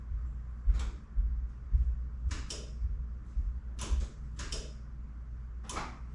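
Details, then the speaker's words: 1993 Dodge W250 first-gen Cummins with LED sealed beams, after installing an aftermarket headlight relay harness: crisp single relay clicks, about six in six seconds, as the high beams switch on and off over a low hum; normal relay clicking. "You could hear that the relays were clicking when the high beams came on and off."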